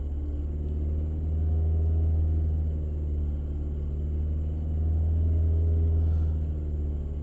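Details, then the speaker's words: Fiat 500 Selespeed after a clutch and gearbox install, throttle held steady at about 4%: idle swells and sags every few seconds and the rev counter goes up and down. Idle hunting; owner suspects a throttle issue that also causes the bad gear changes. "It's very up and downy. Even on the dash, on the revs, look at the little rev counter, they're going up and down."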